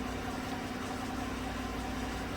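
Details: 2016 Chevrolet Silverado Z71 4x4 with 5.3 V8, about 135,000 km, after replacing all right-bank lifters for a collapsed number 6 exhaust lifter that caused misfire and tick; smooth, even idle, steady low rumble, no ticking, warming up.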